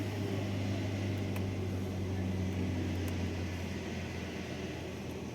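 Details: 2022 Hyundai Accent idling with A/C on after A/C suction hose assembly replacement and refrigerant recharge: smooth steady low hum with the compressor running evenly underneath, no rattles or squeals; system sounds healthy.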